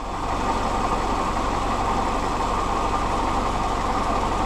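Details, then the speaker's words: Willys L134 Go Devil engine in a CJ2A Jeep, about 10 minutes into running after adding liquid glass to the coolant for a suspected head gasket leak or crack: steady idle with a mid-pitched exhaust roar and changing sound, no clear knock; smoke seen in the exhaust. "the sounds are changing for sure hopefully that's a good thing not a bad thing okay we're about at the 10 minute mark still running"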